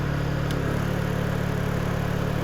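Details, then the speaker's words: Honda EU2000i inverter generator after valve lash adjustment, Eco mode off, heat gun load ramping to 784 W then 1485–1490 W at full tilt: steady, even low hum, no misses or knocks, holding speed; normal running under load. "now full tilt jumped right up 1490 1485 looking very good the generator's working just fine"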